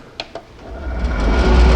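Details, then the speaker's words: Three-phase motor on a VFD with the PWM carrier frequency raised to 32 kHz. After two clicks it ramps to a smooth, even hum with no high-pitched carrier whine, running silent. "so it's running silent"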